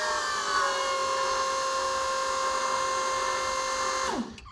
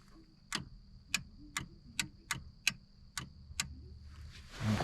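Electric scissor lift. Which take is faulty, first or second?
second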